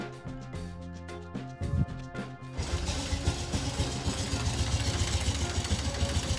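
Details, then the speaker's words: Honda Revo Fit F1 (fuel-injected) motorcycle engine run out of oil, started for diagnosis before teardown: loud rapid metallic clatter and knocking; damaged piston, connecting rod, crank bearing, cam chain and valve stems/seals found on disassembly. "Suaranya sangat kemerangsang sekali ini, sangat ngeklek ngeklok ngoklok, nggak karuang genai ini ya."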